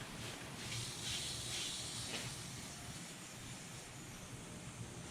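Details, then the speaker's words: Nissan 300ZX twin turbo with turbo lag, during a pressurized boost leak test: a faint airy hiss in bursts near the idle air control valve at the rear of the intake. Soapy water revealed a torn rubber vacuum cap on the balance tube nipple. "So I have a little rubber vacuum cap sitting on this nipple for the balance tube. And you can't see it too well, but the bottom's ripped open."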